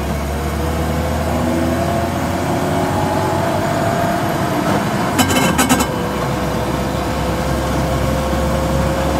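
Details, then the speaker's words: Car on the road, rear axle differential with play, before the sawdust trick: a steady low hum holding with road speed while cruising, worst when lifting off throttle; worn differential hum. "о а огого начинается о пошло пошло как это страшно А вот это тихий ужас"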